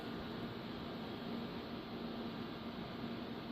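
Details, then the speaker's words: Gatekeeper-built GK800 LD staged 2x8 car audio amplifier with HG 04-4 2879 transistors, 2-pill section switched on: its cooling fan starts, even airy whoosh with faint hum, no ticking or rubbing; normal. "So basically, I'm going to turn the 2-pill section on now. And as you see, this fan over here turns on."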